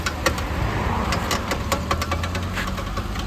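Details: Suzuki Alto with a broken front CV joint (drive shaft/axle): sharp, irregular clicks and knocks over a steady idle as the wheel is turned, recorded before the axle is replaced with a second-hand part.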